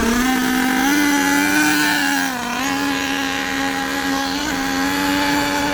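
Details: HPI Savage nitro monster truck with LRP ZR32 engine, warmed up, tuning from very rich: high buzzing drone that is slow and sluggish with heavy smoke; high-speed needle too rich.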